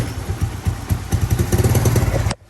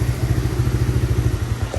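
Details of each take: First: Kawasaki Mojave 110 ATV, fresh gas, new lines and filter, old plug, oil overfilled, started on choke: uneven lumpy low putter then abrupt cutout; runs rough on choke and dies. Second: Kawasaki Mojave 110 single-cylinder with fresh gas, new fuel lines and filter, original plug, and oil overfilled out the vent hose. Freshly started, running off choke with a little throttle. Quick, even popping exhaust beat steady at low revs, no misses or knocks: normal running.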